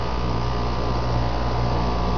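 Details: Heat pump outdoor unit after replacing a bad fan motor: steady, even low hum from fan and compressor with no knocks; compressor briefly short-cycled a few times at start, owner suspects a failing capacitor.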